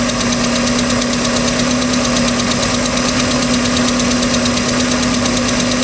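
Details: 3.0L MerCruiser marine engine, second owner, ticking since the start of the season: steady, fast light tick about two per second over a loud droning idle. Cause unknown.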